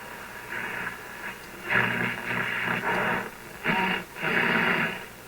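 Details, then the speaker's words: RCA Victor 65U radio/record player, tubes warmed up: stations swell in and out while tuning, clean audio with no hum; normal radio reception. "Excellent, no hum."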